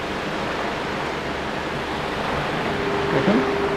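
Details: Stand fan tested after repair, with belt refitted and tightened moderately: steady, even rush of air, the earlier clatter gone.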